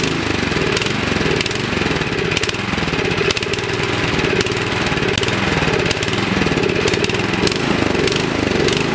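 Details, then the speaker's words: 24-inch Troy-Bilt snowblower that sat 9 months with gas and ran only on choke, after carburettor cleaning with tip cleaners. Still runs rough with engine speed hunting up and down; idle surging persists. "Okay, so it runs a little better, but it still has that annoying surging, so I'll take it back in the shop and show you what to do to finally correct that."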